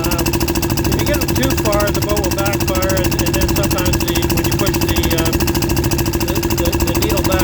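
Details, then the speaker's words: Early Port Carling Dispro boat "Fisher", single-cylinder engine under way at 6 mph maximum speed after carburetor needle leaned out and clamped: steady even thump about two per second, no misses or stumbles; runs healthy, happy there. "But I think this is where the boat wants to run. It seems happy there. Sounds good."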